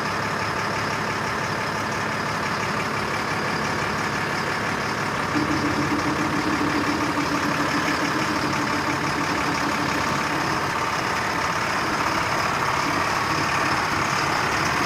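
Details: Surplus military LMTV truck diesel engine at idle: steady, even, smooth low rumble with no knocks, misses or hunting; running normally.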